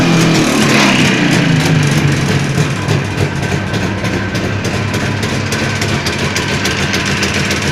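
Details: Jawa 638 two-stroke under build, tired cylinder-piston group, idling: ragged idle with sharp metallic knock about three times a second over loose chain rattle; crankshaft knock and chain rattle.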